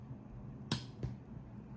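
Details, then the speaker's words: FX Audio DAC sound card switched on with new replacement power brick after the old one failed (blinking LED): a sharp crackly pop then fainter click over room hum; the usual turn-on sound, device works. "There is that crunchy sound which I always hear."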